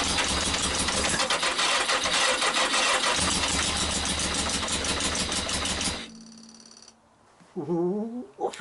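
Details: Yamaha XJ900S on first start in 10 years, jump-powered from a power pack: rough, rattling engine runs unevenly for about six seconds, then dies away. Hard starting.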